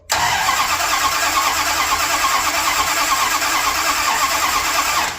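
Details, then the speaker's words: 1978 Dodge D200, 100,000-mile 400 big block, 727 transmission, after reseal and new timing set, jumped at solenoid, possibly no fuel yet; starter spins it at a steady even pace, no grinding or dragging; normal cranking. "Yeah, sounds really good. No weird grinding on the starter or dragging or anything."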